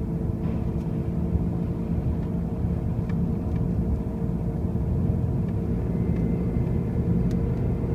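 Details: 2005 Pontiac Grand Prix with brand-new wheel bearings and new tires makes a constant loud low rumble and drone while driving, with no clear rhythm or whine; the origin is unknown.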